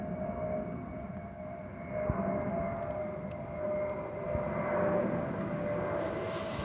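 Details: Delta Airbus A319-114 N316NB, flight MEX-DTW, cabin recording: steady thin whistle at constant pitch over cabin rumble.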